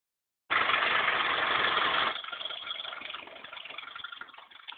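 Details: Car engine running: harsh, uneven rattling tick near the front timing belt area, about four a second, since an HID light hit and broke the timing belt; belt replaced but noise persists, sounds like something stuck.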